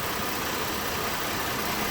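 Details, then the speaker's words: 2012 Mazda 6 3.7-litre, just started on a cold engine: loud steady rush of air from the radiator cooling fan running at high speed and pulsating, also staying on after key off; replacing the faulty fan control module fixed it. "which is right down in here, is doing some erratic things speed-wise, where the motor could be perfectly cold. It started up and almost instantly it's going up to high speeds, and then it'll run like that and pulsate, and you can kind of hear it picking up right now."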